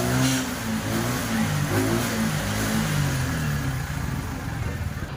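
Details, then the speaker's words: TVS XL100 BS6 after ECM replacement and new head and camshaft, fault cleared: picks up cleanly through several blips, pitch rising and falling smoothly before settling to steady idle; pickup better than before, running normally. "சூப்பராக இருக்குது வண்டி பார்த்தீங்கன்னா."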